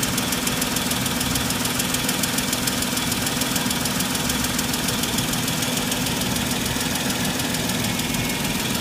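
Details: Mercedes-Benz W163 ML 350 engine: a fast, fairly even clacking at about two per second runs over the idle without letting up; source of the tick unknown.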